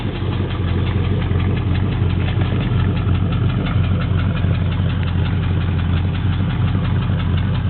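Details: Triumph Stag V8, cold engine at idle: a steady, fairly quick tapping knock runs through the engine note and is audible everywhere; source not pinned down.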